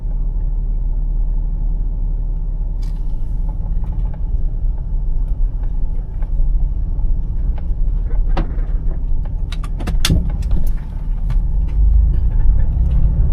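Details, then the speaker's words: Truck after freeing a sticky, corroded transmission shifter input shaft, differentials changed from 43 to 49, at highway speed (~62 mph actual, 69 indicated) with the transmission at operating temperature: steady road and engine drone with no flare or surge, and the neutral light stays off, so the transmission holds drive. "All right, now let's go up to highway speed. Make sure this transmission holds."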